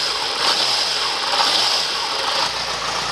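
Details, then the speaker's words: Stock 2004 Yamaha FZ6, about 18,000-19,000 miles, idling from cold with a little cold smoke from the exhaust: smooth, even hum holding steady with no knocks or misses; normal idle, how it should sound. "but this is how it should sound it should have a nice little hum to it"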